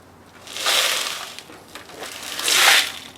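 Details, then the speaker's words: 1987 Kawasaki Vulcan 1500, sat 22 years in a shed, non-running: fuel tank tipped gives two hissing, gritty slides of loose rust scale shifting inside; tank badly rusted internally. "sounds like a lot of rust inside that tank. That's pretty bad."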